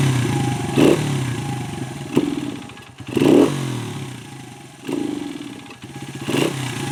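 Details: 1996 Honda XR100 single four-stroke after sitting 2 years, carb cleaned and refilled, just started: catches and revs in uneven blips between drops; running again but carb still untuned.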